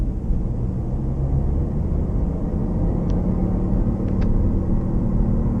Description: This is what a bad wheel bearing sounds like.